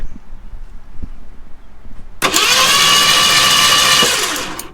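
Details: Mercury Comet V8 sitting for 31 years, being cranked before new spark plugs gapped at 0.035 in: steady starter whir for a couple of seconds with no firing; cranks but will not start.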